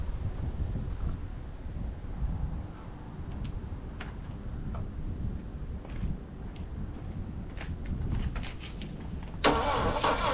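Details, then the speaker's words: Saab Sonett III sitting in mud since 2012, timing roughly set, plug gaps reduced for suspected weak ignition: steady cranking with occasional faint pops, two cylinders heard firing, but never catches; crank, no start. "like come on far n just enough gas come on come on she just not going to go almost wanting to go you know like almost I saw I heard two cylinders fire that time"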